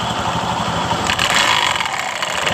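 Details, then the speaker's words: 2015 Honda BeAT Pop scooter with knocking noise rising with throttle, worn belt confirmed by water test: revving brings a harsh, rattly hiss from the CVT that rises with throttle; worn rollers and roller housing. "seperti itu ketika saya geber tadi tuas gasnya terasa di bagian dari rumah roller atau rollernya ini terasa ribut"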